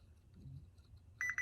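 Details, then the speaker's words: Chevrolet Tahoe with a P0300 misfire code, probing the driver's side coil pack harness pin for cylinder 3: in a quiet room a clear high-pitched meter beep holds steady at the end, so the coil wiring checks good. "okay and that is how you test to make sure all of your wires are good on your coil rack I guess this is a coil rack that's what I would call it"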